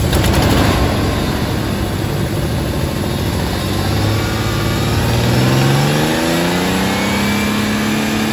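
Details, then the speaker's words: 1998 Ford F-150, 4.2 with 5-speed, 2WD, 302,297 miles: rough idle rising into a rev with raspy puffing on the exhaust note; exhaust leak. "Just now we'll pull the front of the, hear the exhaust leak."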